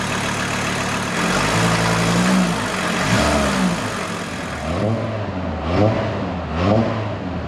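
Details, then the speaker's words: VW T4 Caravelle Syncro engine idling, first run up to temperature after major overhaul, exhaust getting hot, while bleeding air from the refilled power steering: steady low idle with faint pump whine rising and falling; runs normally, no leaks. "I think anything running normal. Gas pedal feels good. No leaks appear."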